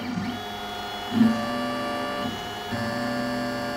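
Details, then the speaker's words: Inventables X-Carve stepper motor with the driver potentiometer turned up too high: a buzzy tone on back-and-forth moves with a rough thump as it stalls. Too much current causes thermal overload and lost steps; the fix is to dial the pot back gradually. "so right now steps are being lost so I'm going to dial it back just a little bit and let it keep running and well it's still losing steps because thermal overload"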